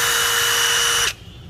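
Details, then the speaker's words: New DeWalt DCF887 impact driver (DCK299P2 kit) with a 5Ah battery, free-running unloaded at speed 3 (fastest, strongest): a smooth, steady high whir holding one pitch for about a second, then a clean stop. It runs smoothly. "Anh ta sẽ cùng nhau nghe tiếng mấy Annabelle chỉ ở cấp độ số 3 là tóc nhanh nhất và lực mạnh nhất của đó em mới chạy rất là em luôn"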